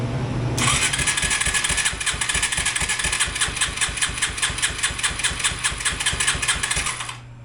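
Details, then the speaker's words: Yamaha 225DX three-wheeler on its original factory carburetor, cranked with a jump pack: the starter cranks in quick even bursts but the single never catches. The carburetor still has issues. "I'm going to say she still has some carburetor issues so we're going to dig back into that we'll bring you guys back and see if we can't get this thing to fire"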